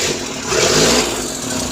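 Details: Suzuki Scrum F6A 12V that would not start despite a new distributor, CDI, cap and high-tension wire: after the faulty rotor was replaced, the engine catches and runs steady and even with no misfire.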